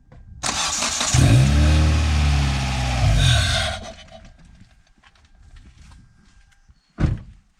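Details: 2008 Hyundai Tiburon with a sudden no-start traced to corroded connections. Quiet, then a brisk, even starter churn for about two seconds before the engine catches and fires; normal crank and start.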